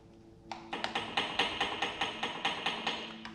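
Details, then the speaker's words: Stock 7.3L Powerstroke turbo off an International 4700 dump truck, smoking after a 45k lb haul (seals suspected): sharp wooden clacks about twice a second as the shaft is rocked in and out by hand, showing excessive end play with minimal up-and-down play. "don't know if you can hear that hopefully you can that is Inplay in the turbo not up and down up and down is a there's a little up and down too but very minimal compared to the inl"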